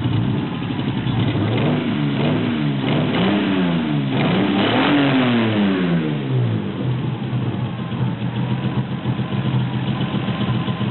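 Engine revs up and down with a choppy, uneven pulse through the exhaust note instead of a smooth climb, consistent with a misfire.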